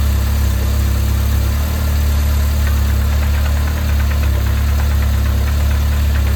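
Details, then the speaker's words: 1980s Toyota Tercel barn find, carb fed directly from a funnel into the fuel line: steady, deep, even idle with no misses, knocks or ticks; engine sounds smooth and healthy. "all right so it sounds pretty sweet and good obviously it's near the fuel pump so I think we'll reconnect it put a bit more fuel and see"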